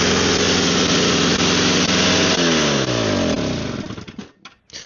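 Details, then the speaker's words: Snow blower small engine that smokes a lot; its idle screws vibrate back out of adjustment. It buzzes briefly, then the pitch sinks and it sputters out within seconds; it runs only on the primer bulb, and the owner suspects the carburetor needs cleaning. "it only runs if you prime bulb. So I'm assuming something in the carburetor needs cleaned."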